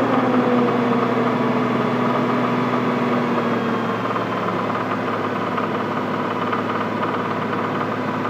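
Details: Toyota 7M-GTE, rebuilt engine with 700 miles, at 2000 rpm: steady running with a light, fairly regular knock, about three or four per second; owner asks if it is rod knock, unconfirmed.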